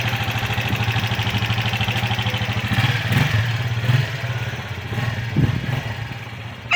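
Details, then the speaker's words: Keeway RKV 200 motorcycle, 2013, after starter repair ending smoke and fuel leak: even exhaust beat pulling away and fading down the street, no misfires or rattles; normal running. "Ahí va. Se escucha bien desde lejos."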